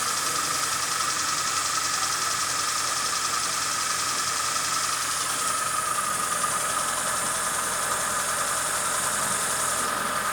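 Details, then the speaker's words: Fiat Palio G1 after removing broken, noisy oil pan (crankcase) guard with stripped bolts: steady, even idle, smooth hum, tinny rattle gone; engine sounds healthy, normal idle. "Acabou o barulho. Acabou o barulho da azeitona, aquela barulheira de lata."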